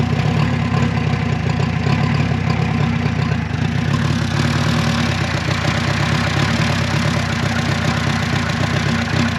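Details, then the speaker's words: Renault 4CV abandoned 54 years, pistons, cam, lifters and rockers had been frozen and freed up: small engine holds a steady, even idle with a smooth low putter and no knocks or rattles; normal idle. "well there you have it that little engine actually sounds good"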